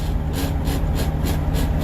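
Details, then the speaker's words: Semi-truck tractor-trailer in cab: rough, pulsing rasp about three times a second over deep diesel rumble as gears grind when the clutch is not pushed fully to the clutch brake; holding the clutch down lets it slip into gear. "you hear that grinding? That's really not awesome. That actually kind of hurts my soul a little bit. Yeah. Not enough clutch."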